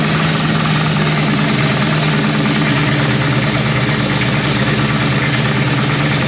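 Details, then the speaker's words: 1970 Ford Torino GT, off the road since 1992 and freshly revived, running on a primed carburetor: a rough, uneven idle with a loose low pulse, then it dies; fuel starvation is suspected. "That's cool. Must just ran out of fuel."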